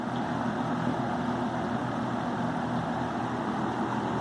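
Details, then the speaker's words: Vintage Happy Home 20-inch box fan (McGraw Edison, model 20137) running with blades on: a steady drone with a rough, uneven rumble under it, less on medium or low. The motor bearing is worn out, with a hot-grease smell; it still runs. "You can definitely hear the bearing run out there. Less if it's on medium or low. So yeah, this one's pretty beat, but it runs."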